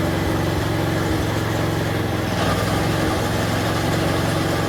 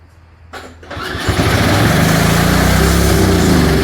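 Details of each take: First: Snapper 4/22 vintage snowblower, small single-cylinder engine after repair of broken impeller and blown auger gearbox and bearings, restarted after freeing the throttle linkage: settles into a steady, even idle with no surging or over-revving; normal, healthy idle. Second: Old Snapper 4/22 snowblower engine after sitting, carburetor primed: catches after a couple of tries and races to a high steady speed without throttle control; over-revving, cause suspected not confirmed.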